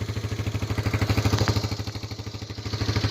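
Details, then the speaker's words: 1985 Honda Big Red 250ES, cold, just started after long cranking from sitting a long time: quick, even single-cylinder thumping at a steady fast idle. It is held on partial choke because it tends to die, smoking quite a bit. "Smoking quite a bit. Choke on a little bit because this thing likes to die."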